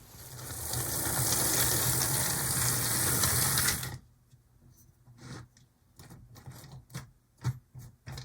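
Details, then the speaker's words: Athearn Blue Box HO B&O locomotive (EMD F7A/ALCO PB-1) after penetrating oil was applied: strained buzzing whir for about four seconds, then scattered light clicks; the rust-bound motor and drive still run slowly and can't take off on their own. "yeah I think just it's working it's just working kind of slowly and it'd be nice for this thing to be able to take off on its own"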